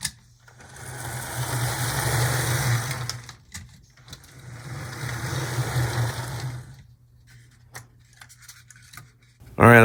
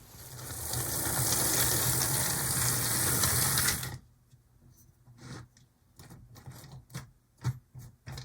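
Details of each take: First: HO Athearn Blue Box B&O EMD F7A model locomotive, shell refitted, test on track: small motor whirs smoothly, stops, runs again with even buzz and no catching; running normally, like new from the box. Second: Athearn Blue Box HO B&O locomotive (EMD F7A/ALCO PB-1) after penetrating oil was applied: strained buzzing whir for about four seconds, then scattered light clicks; the rust-bound motor and drive still run slowly and can't take off on their own.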